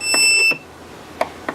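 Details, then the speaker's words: Trash-found Electrolux Ergorapido Lithium battery vacuum, red LED on: half-second high-pitched buzz cuts off, then faint clicks; fan motor seized, won't turn by hand, energised but fan jammed, likely rubbing; owner doubts a bad battery, suspects possible liquid damage. "I don't really think that's the case because you can hear it making a rubber valiant effort at actually turning around"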